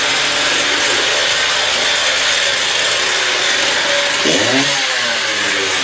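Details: Stihl TS350 cut-off saw after engine rebuild, fuel freshly mixed, choke off, old blade fitted, warming up; high raspy scream holds steady, then drops and climbs cleanly on the throttle without stumbling, normal running.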